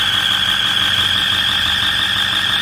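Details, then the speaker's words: 2008 Ford F-550 with 6.4 diesel, turbos just replaced, idling with a loud steady high-pitched whine that gets louder on acceleration. Cause is an exhaust leak at a broken exhaust manifold bolt. "Okay, so we already found the problem, and it's gonna be an exhaust broken bolt. A broken exhaust bolt."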